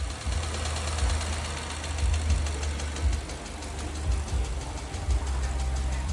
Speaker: This customer only wanted an oil change while having this knock. The shop made them sign a waiver before getting the oil change done.